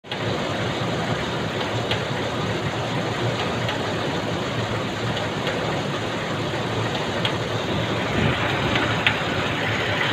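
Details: Nissan Elgrand engine at idle with a light, uneven tick a few times per second over a steady hum, faint against the running noise; source of the ticking unclear.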